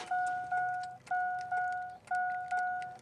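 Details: 2000 Chevrolet Silverado 5.3L that won't start, fuel pump runs but no start: aftermarket alarm sounds a clear electronic dong about twice a second without stopping; stuck in alarm mode, believed to block the ignition, removed to fix.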